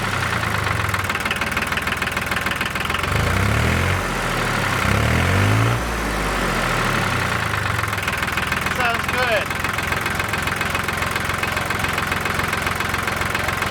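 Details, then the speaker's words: John Deere 950 tractor (Yanmar three-cylinder diesel) after a plugged fuel filter was changed and the system bled: steady, even idle clatter with no misses; it previously missed once warm. "all right sounds good i'll have to have to work johnny a little bit to see if he's running a lot better"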